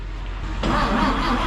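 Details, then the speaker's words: 1958 Chevrolet Apache long sitting, after new rotor, cap and plug wires and a couple of pedal pumps, steady low cranking drone that never catches; cranks but won't start; a broken wire may be grounding out. "not even acting like she's trying Let's uh check her for spark"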